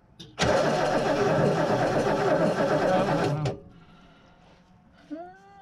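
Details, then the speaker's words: Barn-find Lincoln Mark III, unstarted for years, fitted with a coil from a parts car: about three seconds of even cranking, no firing; no spark, though the points spark, so the coil is suspected bad. "We're not getting spark. Let me make sure this distributor's points are still working here."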